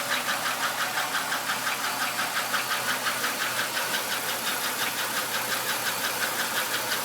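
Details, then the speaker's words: 1996 Buick Skylark 3100 SFI V6, near 150,000 miles, sharp steady ticking about three per second at idle after switching from part-synthetic high-mileage to full synthetic oil; louder than before, spark plugs checked, barely eases when warm; owner suspects lifter tick, piston slap or knock. "I think it might be lifter tick. Maybe it's piston slap. I'm not really sure. Hopefully it's not knock."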